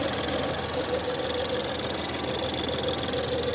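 Steady mid-pitched whine riding over a smooth cold idle, holding constant throughout; source of the whine not identifiable by ear.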